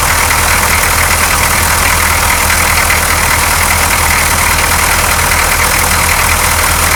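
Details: 6.2L diesel truck, cold morning start after fitting a clear fuel line from filter to injection pump: line empty at first, starts right up, line fills; even steady idle clatter with no stumbling, surging or misses; air in fuel suspected earlier.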